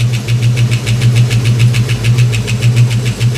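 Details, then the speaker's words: 1989 Ford Mustang LX 5.0 V8, newly revived after years sitting, brand-new fuel injectors, warming up: fast even tick about six per second over a rough idle; ticking of unknown origin. "This car is running. I'm trying to figure out what that noise is. These are brand new fuel injectors."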